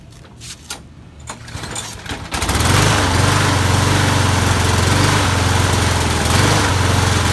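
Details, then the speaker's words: Lawn mower that won't stay running without repeated priming, before any carb work: a few pulls, then it catches and runs with a slight hunting dip. Fuel starvation was later traced to clogged channel holes in the float bowl bottom bolt. "all right so a lawnmower is uh won't stay running i headl turn on and then I have to keep priming it to keep it running so I think there's something wrong with the carb possibly not enough vacuum to pull fuel"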